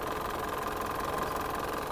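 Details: Warm Mitsubishi Montero 4D56 diesel at idle during a blowby check: harsh, clattery, uneven rattle with heavy blowby, strong oil spray and some smoke; mechanic diagnoses worn piston rings and liners needing general overhaul, not just the suspected EGR fault.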